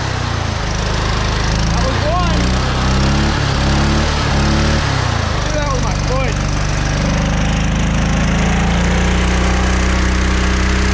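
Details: Scrap engine restarted after a tight spot, governor pulled: runs flat out with uneven surging pitch and rough clatter underneath; then boiling sizzling oil, owner thinks both rods broke, zero compression, nothing thrown externally.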